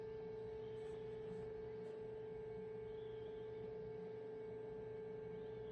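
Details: 2011 VW Jetta Sportwagon 2.0 TDI (Mk6), after fuel filter replacement: steady, even mid-pitch electric hum with no rattle or surging as the fuel supply pump primes via VCDS activation before starting; normal priming.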